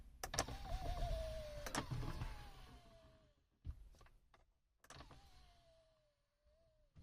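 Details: Audi A6 C7 MMI display after lubrication (silicone grease on the folding mechanism, PTFE on the guide), having previously crunched when closing: two smooth motor whirs, extending and retracting, with no crunch or grinding.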